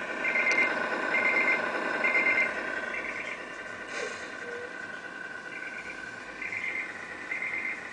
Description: I'm not sure what is causing this sound but I need help, Everything is plugged in right, can anyone help?